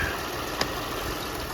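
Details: 2006 Toyota Highlander 3.3L after water pump replacement, warming up, checking timing belt tracking: short steady idle hum with no knocking, ticking or squeal; normal warm-up idle.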